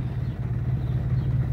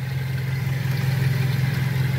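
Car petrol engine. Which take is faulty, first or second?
first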